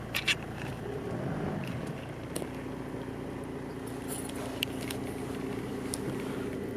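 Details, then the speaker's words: 1994 Mitsubishi Pajero Exceed-I 2.8L 4M40 turbo diesel, automatic, 4WD, at idle: even diesel clatter with steady low drone, no misses or knocks; sounds smooth and healthy. "Yeah, this thing runs great. Go ahead and start it up. It starts right up."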